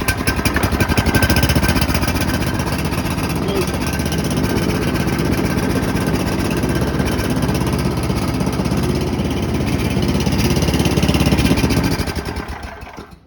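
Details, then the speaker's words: Free roadside snowblower, said to have a toast motor, after its carburetor was cleaned of junk: strong, steady chugging with quick even beats that holds speed under throttle without surging, then winds down at shutoff. It runs healthy. "So it goes to show you, pick up that junk on the side of the road, no matter what anybody says. Got a damn good snow blower for the winter."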